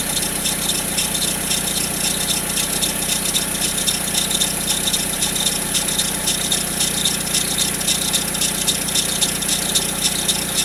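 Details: Peugeot 407 since a timing belt change: a dry, tinny rattle sits high over a steady idle with a cold engine and disappears after 2–3 minutes; origin unknown.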